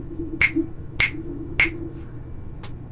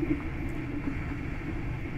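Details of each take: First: Creality CR-10S Pro 3D printer after quiet fan upgrade, one fan run via buck converter at about 12.5-13V, all fans on except part cooling fan: only soft, low steady hum, finger snaps for comparison; very quiet, normal. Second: Creality CR-10S Pro 3D printer after quiet fan upgrade: part cooling fan turning on gives steady droning mid-pitched hum until it stops, louder than the rest of the printer; noisy, owner considers running it at 80%.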